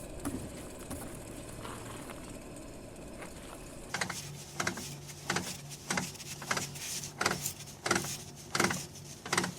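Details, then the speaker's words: Vehicle raised and wheel turned by hand; sharp metallic clicks about every 1.5 seconds from a damaged internal differential component. "cuando hay un elemento interno dañado cuando levantas el vehículo y giras la llanta puede sonar como esto"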